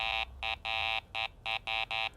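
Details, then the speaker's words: Garrett ACE 400 metal detector (10 kHz) over a steel washer: a gated, buzzy low tone pulsing about three times a second. This is the normal low-tone response for iron targets with a target ID of 0–32. "the first tone we've got is a low tone that's for anything with a digital target id reading from 0 to 32 we've got a steel washer here for the low tone so let's listen to it"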